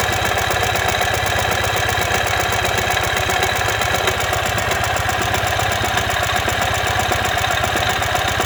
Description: Turns out that this is the sound that happens when the front crankshaft bearing collapses.